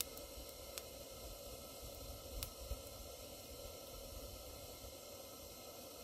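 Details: Barn-find Coleman 237 kerosene lantern, made in England, first lit on its original kerosene with uncleaned generator and original mantle: steady even hiss with no sputter or surging, a few faint ticks; burner running clean.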